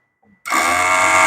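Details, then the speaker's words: Toyota Avanza F652 3SZ engine, vibration complaint, ABS actuator forced on during per-wheel test with no fault codes: faint click then steady high buzzing whirr as ABS pump and solenoid cycle on command. "beginilah bunyinya datang Jadi kenapa kita paksa kita mau tahu dia bekerja ataupun tidak"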